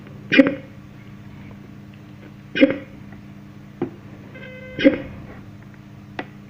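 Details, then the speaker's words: X BASS Bluetooth speaker that dies when playing music, tested on charger: dull thump about every two seconds over faint hiss as the speaker keeps powering on and cutting out; cause unknown. "Él, de azonnal meghal, mint ez Hmmmm ... a kár ilyen. lüktető, lüktető miért?"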